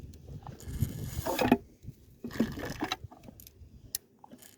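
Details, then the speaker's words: Mercury 40hp two-stroke outboard, leg removed: turning the crank by hand gives loose metallic jingling and clatter as broken bearing pieces tumble inside the crankcase; broken crankshaft bearing, crank must be split. "you can hear bits of metal in there two more bits of bearing spinning around so we are going to have to split the crank spewing"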